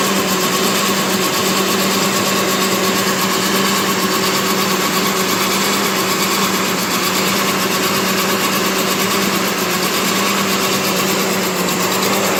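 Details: 2008 Chevy Trailblazer with salvage-yard transmission, first start after sitting: steady idle with sharp fast ticking puff over the engine note from cracked, leaking exhaust manifolds; a bad coil pack also possible.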